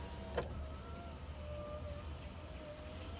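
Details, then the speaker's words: 2011 GMC Sierra 1500 SLE power window after cleaning and working the original switch and connectors: clunk, smooth steady three-second motor whir, clunk at stop; window now works normally, previously wouldn't move. "All right, so, you know, after a lot of manipulation and cleaning and whatnot, I'm still using the old original switch. It's much better now."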